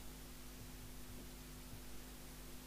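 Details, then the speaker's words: Murphy CBH1500 CB27/81 UK FM CB base station (Spirit 40F transportable boards) on receive: steady low mains hum with evenly spaced tones under faint hiss, a design fault of the power supply. "the mic works speaker works cuz I hear the hum right"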